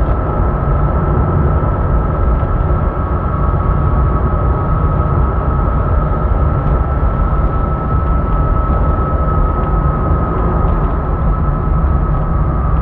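Steady high-pitched hum near 1.3 kHz rides over a heavy low rumble throughout; an engine whine of unknown origin.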